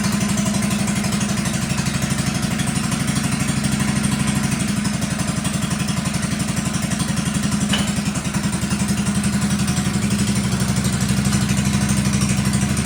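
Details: 1957 Wheel Horse RJ35 garden tractor after sitting 5+ years, driving under light load: even single-cylinder thump about four beats a second, no misses or knocks; normal running.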